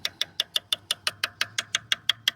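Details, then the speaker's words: Coin tap test on a used carbon bicycle frame at a spot that looks like a crack: crisp, identical ringing taps with no change in sound. Solid carbon, no crack. "Это место такое, как будто бы трещина, но тут никаких изменений в звуке нету. Я думаю, что все там в порядке."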